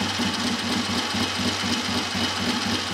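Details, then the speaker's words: Triumph Tiger T100 twin, first start after top-end rebuild, points ignition upgraded to 12 volts, low compression, started without choke: even, steady beat of about four per second with no misses or knocks; clean, healthy idle. "It's very sweet, quite low compression, easy to start, but performance wise, yeah, very good."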